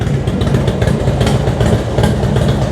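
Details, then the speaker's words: Harley-Davidson FXDX V-twin, just fitted with Daytona Twin Tec ECU for cam sensor error, Andrews N21 cams, hydraulic tensioners, S&S Big Sucker air cleaner, aftermarket exhaust; started still cold on a tiny bit of choke, even loping idle, no misfires or knocks: normal cold idle. "So let's just fire the bike up one more time, make sure that that works and starts. Tiny bit of choke, which is still a bit cold. sweet."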